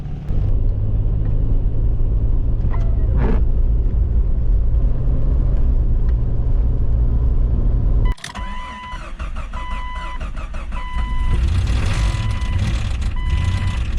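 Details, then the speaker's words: Jeep XJ after one year of ownership: harsh, loud, rough engine racket just after starting, then the noise drops off sharply; cause not identified. "a delightfully fine racket for the engine to make you hear that"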